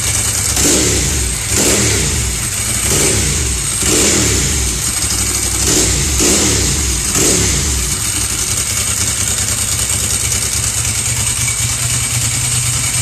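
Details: 1999 Ducati 996 twin after an in-tank fuel pump installation: six quick throttle blips rise and fall cleanly, then it settles into a steady idle; revs freely and sounds healthy.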